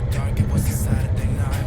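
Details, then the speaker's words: VW Beetle (vocho) air-cooled engine, hot, after replacing the faulty ECU, repairing the wiring and setting the timing: low, even pulsing with no roughness or misfire. No longer sounds rough; normal running. "Ya el motor no se escucha ronco, se escucha se escucha muy bien."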